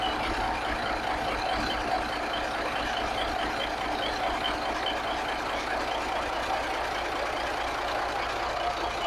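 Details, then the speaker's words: 1983 Kenworth cabover with Cat diesel, after setting the timing and the overhead valve adjustment; it started instantly and is still running on an electric fuel pump because the mechanical pump isn't working. Steady, even idle with a smooth hum, no knocks or misses. Normal idle. "But it sounds like maybe I fixed it. I mean, it sounds pretty good, doesn't it?"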